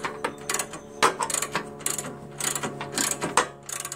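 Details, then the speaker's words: Old Jacobsen Imperial 26 dual-stage snow blower, 6hp Tecumseh, points magneto, has compression: pulling recoil starter gives a rough ratcheting clatter with sharp metallic clicks; owner suspects something loose inside, cause unknown. "I'm still a little of wondering what that noise was you know what I mean you know the noise I don't know what the noise is and when you pull it that noise"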